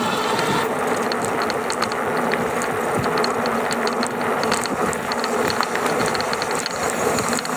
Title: GoCruiser rattling noise between 670 to 725 watts